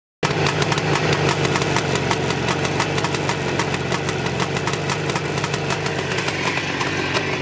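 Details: Jawa 634 350 two-stroke twin idling rough, its rapid crackling beat stumbling as one cylinder fires irregularly; intermittent misfire on one cylinder.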